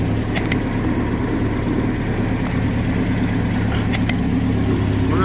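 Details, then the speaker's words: 2006 Nissan pickup running in gear with a rear wheel raised after replacing the driveshaft universal joint (cruceta); steady low hum, driveshaft turning smoothly with no noise, the strange rear noise heard on the road now gone. "ya estamos Gracias a Dios un trabajo más realizado como pueden escuchar ya no hay ningún ruido ya quedó bien la cruceta"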